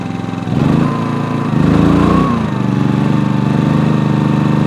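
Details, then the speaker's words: Generator starting an RV air conditioner with a Supco SPP6 hard start capacitor fitted, at about 80°F ambient. Steady hum from the fan motor, then the engine picks up speed as the compressor kicks in 3–4 seconds later, dips and settles slightly above idle. A normal load pickup. "that was compressed all right so the first the first ramped up it just been a few hundred rpm that you heard was the fan motor and then it wasn't but about three four seconds later you heard the compressor kick in and it seems to be doing really fine"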